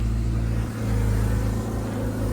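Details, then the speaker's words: BMW E36 project car after a temporary exhaust repair, just started: deep, even exhaust burble at a steady idle with no more rattle or leak puffing; smooth normal idle after the fix. "See how there's no more rattle, no more leak. It's exactly how I wanted it. So yeah, that should do for the weekend. Sounds way better now."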